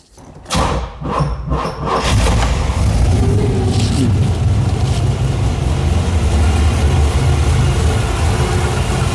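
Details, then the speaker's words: Hard start on a 1987 Firebird after swapping in a cammed Chevy 350 (bored .040 over, Lunati cam, 202 heads, Holley 650 carb): starter grinds about two seconds of choppy cranking before catching to a loud lumpy idle; suspected too much ignition timing. "Sounds like we might have a little too much timing into it. You hear how it started kind of hard there?"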